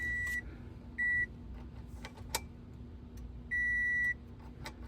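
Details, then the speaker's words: Toyota Camry Hybrid beeping whenever the driver's door is opened; the other doors make no sound. Three high, clear beeps of uneven length are heard with cabin clicks between. It shouldn't make this sound, and the cause is not yet found. "If we open the front door, it started beeping."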